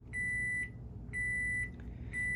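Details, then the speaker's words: GE Nautilus dishwasher beeping nonstop with the door closed and latched. Steady high beeps, about half a second each, repeating every second, from a broken wire to the door latch switch. "so i've got a ge dishwasher um it's a ge nautilus and it just sits here and beeps at me one of the things could be you forgot to close the door"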